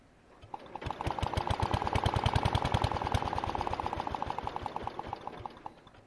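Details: An MTD 760/960 tractor with a cast-iron Briggs & Stratton engine is started on a jump. The crankcase breather hose has been removed and the engine has an oil leak. It makes slow, uneven chuffing that swells and fades, and runs rough.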